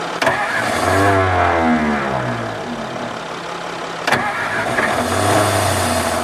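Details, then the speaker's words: 1954 Ford Crestline Skyliner first start attempt, radiator found with no coolant: the starter clunks in, whirrs, drops out and re-engages; the engine fires briefly but won't stay running. Old starter kicking out; owner suspects the carburetor needs rebuilding. "Old starter's kicking out now, bad. I think we're gonna have to rebuild the carburetor before we get this thing running."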